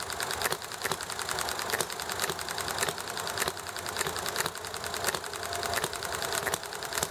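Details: Enjomor small hit-and-miss engine running nicely: crisp single pops roughly every half second to second, coasting between, over chatting, highway noise and alley traffic; normal hit-and-miss running.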